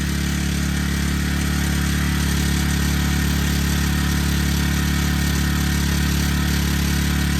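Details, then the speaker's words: Honda Harmony FG100 small tiller, carburetor fixed after sitting: steady, even single-cylinder putter with a smooth low drone, no misses or surging; normal running. "Well, she ran great. Happy, very, very happy with that."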